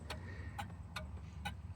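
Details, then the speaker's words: 1988 Nissan Be-1, 1.0L carbureted four-cylinder, about 74,600 km, inside the cabin: crisp hazard flasher relay clicks in a very slow, even rhythm over a quiet interior; flashers working normally, just unusually slow. "These are like the slowest blinking flashers. It's really cool."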